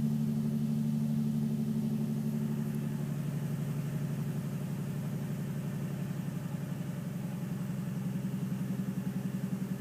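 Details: Nissan 350Z at idle in a garage: steady but uneven lumpy low beat about four times a second with a faint tap underneath; misfire with slight knock.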